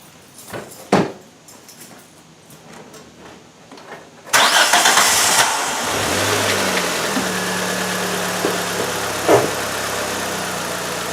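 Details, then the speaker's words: Engine cranked, started and loaded to replicate its twisting: dull clunk under load; suspected worn motor mount, not confirmed. "Okay, what I'm going to do, I'm going to try and load up this engine and uh replicate the the engine twisting like it does."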